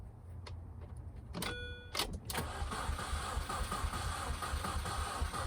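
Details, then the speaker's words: 2005 Mini Cooper S R53 with EWS3 bypassed by a 30 amp fuse in the EWS connector, in neutral: after a click the starter turns the engine over at an even, steady chug without firing, confirming the start circuit is good and the EWS was blocking cranking. "Okay, it turns over. So you seen earlier that my key would not turn this over, and now you can hear it."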